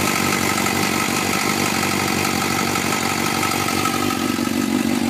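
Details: 2004 Suzuki GSXR 600 at cold start idle in Arizona: light, fast ticking over the engine note; owner suspects the cam chain tensioner needs replacing, unconfirmed.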